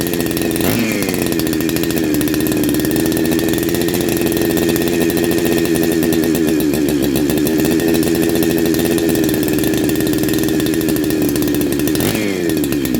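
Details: First start of a Neo-tec NH872 chainsaw (372XP clone) with a big bore kit, on a hot day. A steady, high-pitched two-stroke buzz holds even speed with no misses or surging, running clean and healthy.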